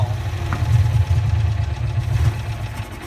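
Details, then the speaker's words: 1965 Cushman Truckster two-cylinder, three-speed, started after sitting over a year, in neutral with choke and throttle adjusted: low uneven thump at idle that wavers and stumbles, won't accelerate and chokes out; rough running, cause unclear. "for some reason it doesn't want to accelerate just chokes out that's the big problem"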